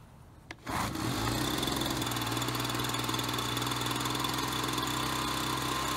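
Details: Ryobi BP42 backpack leaf blower, 4 years old, after repair of no spark and leaking carburetor, carburetor dialed in: steady, even two-stroke buzz that picks up cleanly and holds stable with no stumbling; normal running.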